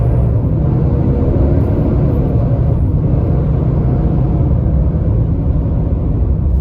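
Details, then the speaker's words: 2022 Nissan Titan driving with the viscous fan clutch stuck locked through all gears: heavy, steady low roar drowns the exhaust the whole time, the fan running at full speed; intermittent failure that the dealer missed. "and it's still sticking look at the odometer locked up the whole [Music] time and we'll slow down and stop just one more time so you can see that that Fan's sticking through all the gears"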